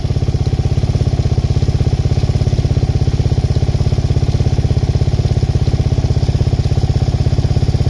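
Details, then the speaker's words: Suzuki LTZ400 with Yoshimura exhaust after top-end work, warmed up, switched to prime: quick, even single-cylinder thump idling a little high with a tiny bit of popping, no obvious miss. "Idling a little high now that she's warmed up. She's got a tiny bit of pop."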